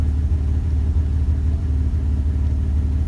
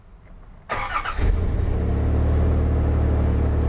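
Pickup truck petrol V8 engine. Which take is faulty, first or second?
second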